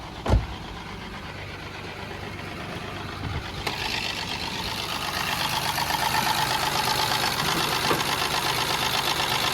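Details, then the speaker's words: Honda EG Civic with turbo kit, cracked exhaust manifold runner before welding repair: engine fires into a loud raspy idle with a sharp puffing tick; exhaust leaking from the cracked runner. "So you can see we got a crack on this runner right here."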